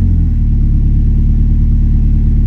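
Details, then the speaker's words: Honda Civic VTi VTEC P08 with AC on: deep, steady fast idle well above normal, engine feels weak (malata) when revved; idle too high under AC load, engine "angry" so can't coast in neutral. "Hindi ka makaka-neutral nito pag nananakbo ka, galit to. Magagalit ang makina."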